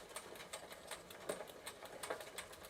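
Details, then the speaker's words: 1993 Gazelle Speciaal bicycle after chain tightening and WD-40, cranks turned by hand: sounds better but regular light ticking remains with a stiff point; the owner suspects it needs a new chain and may check the chainring. "it's still not perfect and to be honest it's probably needs a new chain feels like there's a bit of a stiff point around here"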